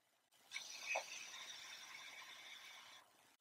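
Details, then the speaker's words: 1998 Chevy C3500HD 7.4 L 454 Vortec L29, engine off, fuel pump relay bypassed to run the pump (50-60 psi): a steady high hiss like running water from a stuck-open injector, causing rich running. "you're not supposed to hear like some pipes like someone is peeing inside of your engine so let's check it out put it on again"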